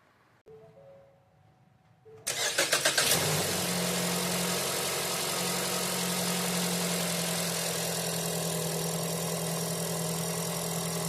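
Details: 2019 Ford Escape 2.5L four-cylinder after new spark plugs, air filter and oil change: brief cranking, then catches quickly and settles into a steady, even idle with no misfire or stumble; runs healthy.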